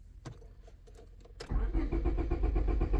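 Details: 2001 Honda Civic (OBD2) cranks but won't start, no green key light in cluster, immobilizer suspected, later programmed with OTOFIX IM1; steady fast starter churn about four beats a second, engine spins but never catches, scanner shows rpm while cranking.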